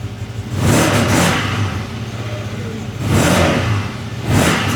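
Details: CFMOTO after fixing a no-throttle fault by greasing the connector with dielectric grease to keep water out: three clean throttle blips rising and falling smoothly from idle, no stumble or hesitation; normal revving.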